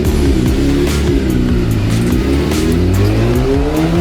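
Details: 2017 Kawasaki ZX10R four-cylinder on dyno, rebaseline full-throttle pull after readjusting a slipping clutch: pitch climbs cleanly with no sudden flare; clutch now holding, pulling healthy.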